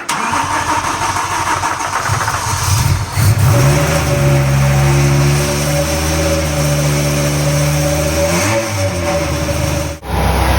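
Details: BMW M3 with V10 swap, new 10-into-1 headers and 5-exit oval 3.5" custom exhaust, no radiator fans yet, warming up: fires quickly, settles into a smooth idle, then clean revs up and down without misses or knocks; normal start and revving.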